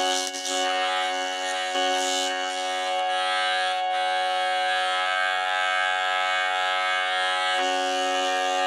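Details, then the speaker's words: Jensen V21 Leslie upper driver after adjustment to remove its buzz: steady played tone still carries a raspy buzz at certain frequencies; the diaphragm is worn out and the driver must be replaced. "so even though I was able to get out some of the buzz I can still hear the buzz in there this lets me know that this diaphragm the shot I can't use this anymore"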